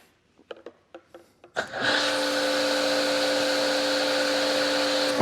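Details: Active 2.3 electric pressure washer, running a foam cannon, indoors under 35-foot ceilings: a few clicks, then the motor starts into a steady, even hum with a constant whir. Just under 1,000 PSI and about 13.1 amps; normal operation.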